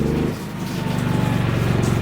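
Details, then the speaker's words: GENMAX 9000iED inverter generator powering house (freezers, refrigerators, lights) as well pump kicks on, lights flickering: steady engine drone climbs in pitch and firms up under the heavy load; generator speeding up normally under load. "oh the lights just flickered oh the well pump did kick on though I can hear the generator Crank It Up"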